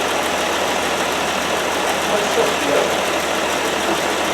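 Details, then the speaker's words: 1969 Land Rover Series 2a six-cylinder, rear cylinders previously misfiring, after spark plugs checked and refitted: smooth even idle with steady beat, no stumbles; rear cylinders now firing properly. "as you can see now she has the back of the engine it's all wrong firing away quite merrily that's a good sign"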